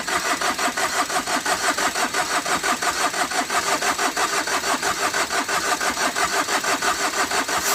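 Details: Overheated Tata Vista: even, fast starter churning about three turns a second with no firing, even with a petrol-soaked cloth; smoke escapes above and below, engine declared failed.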